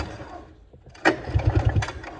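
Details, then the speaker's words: Arctic Cat JAG 3000 snowmobile, engine isolated from wiring harness with kill and key switches disconnected: short burst of rapid even pull-cranking that never fires; no spark. "No spark. That kind of sucks, means it's in here."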